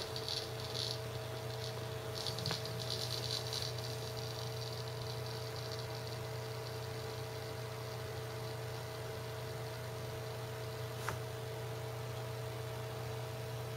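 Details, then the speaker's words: Seagate ST6000DX000 6TB 7200 RPM drive in enclosure during a benchmark, gently moved; quiet hum with irregular rattly seek ticks coming and going; loud seek noise from vibration, performance unchanged. "if I start moving it I'm being very gentle with the drive very little change but it does that he goes into this loud seek mode you notice no performance change"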